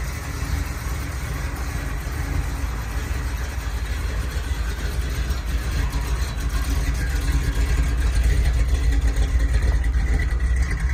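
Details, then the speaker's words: Ford Bronco carbureted V8 just revived after sitting 11 years, mic at the rear tailpipe: deep steady rumble rising slightly as it moves off, even firing with no misses or knocks; healthy exhaust note. "let's take you back to the back so you can hear the exhaust [Music] definitely got a nice sound to it"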